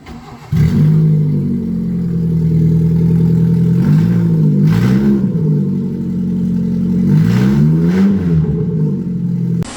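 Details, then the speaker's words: Maruti Suzuki Zen with exhaust header opened: engine catches, then loud raspy blips rise and fall in pitch with each rev; open-header bark from unsealed exhaust manifold. "I tried to open header on the car and also recorded a small clip for it I will try to include it in this video"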